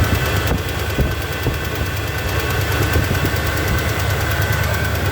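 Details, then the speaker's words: 1978 Chevy C10 Cheyenne V8 with a new 400 Edelbrock carburetor: steady idle with a light, regular tick about twice a second. Owner says it is not an exhaust leak but something in the motor. Engine ticking at idle. "it is not an exhaust leak if there's something going on in motor like you know a little tick"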